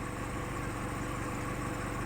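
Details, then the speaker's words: Used Chevrolet car at idle after ignition coil 2 circuit repair; steady even low hum with faint waver, which is put down to age, high kilometres and non-Chevrolet parts. Normal idle. "இப்போ பாருங்கள் viewers, இப்போ இந்த என்ஜினோட speed வந்து பார்த்தீங்கன்னா RPM வந்து idling பக்காவாக நிற்குது."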